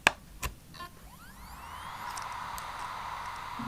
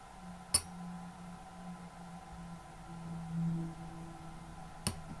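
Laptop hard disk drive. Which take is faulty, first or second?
second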